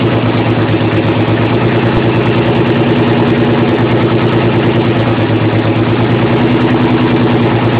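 Lumpy, stumbling idle with an uneven beat several times a second; it's missing on a cylinder or two from failing injectors or clips.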